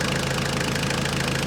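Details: Skid steer diesel after bucket pin repair, first start on the ground: even, steady chug with regular firing pulses and no knocks or misses; healthy idle.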